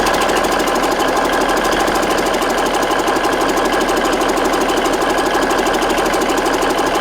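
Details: Rebuilt Big Cam Cummins NTC 365 diesel: steady, even idle clatter with no stumbling, knocking or surging; runs well, though it has an oil leak.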